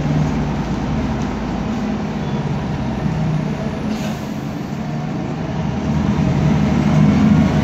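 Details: 2010 MAN Lion's Classic city bus, CNG, MAN E2876 LUH02 EEV 290 hp engine, ZF Ecomat 6HP504C gearbox, 12 m: heavy engine drone with a low steady differential whine that grows as the bus speeds up.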